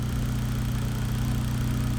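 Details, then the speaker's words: Built Mitsubishi Evo X after its first start, following a fix with a Harbor Freight vacuum kit on the reservoir: steady, even low idle with no whine or rattle; the earlier hideous engine-bay noise is gone, normal idle. "All right, so no more weird noises from the engine bay, so that makes me like really glad, really excited."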